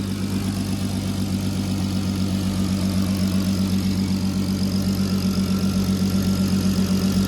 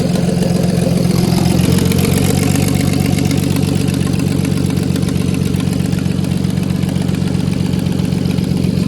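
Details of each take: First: VW Golf R32 Turbo (MK5) after MK7 Golf R DSG clutch pack fit and resealing an exhaust manifold leak at the head, running on water coolant: deep, even idle with steady exhaust pulses, no ticks; exhaust leak gone, runs smooth. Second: MK5 VW Golf R32 Turbo, hot engine, exhaust manifold refitted without a new gasket: quick, sharp ticking puff over the idle; exhaust leak between head and manifold.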